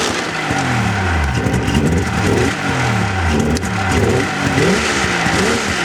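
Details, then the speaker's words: 1996 Polaris XLT 600 two-stroke snowmobile, the one that runs perfectly, revving up and down repeatedly and responding right away with no bog or hesitation, unlike the owner's 1998 XLT 600 that bogs; normal throttle response. "but this one it just responds right away so I'm pretty sure you'll be able to hear the difference"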